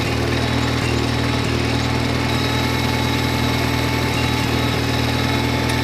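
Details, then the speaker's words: 1953 Farmall Cub that kept dying seconds after starting; carburetor was cleaned of small obstructions and refitted badly warped with two gaskets, not filed. Now idles with a steady, even low putter of about four beats a second, no stumbling: normal idle. "sounds good even with a warped carburetor two gaskets running great so i don't plan to file that down"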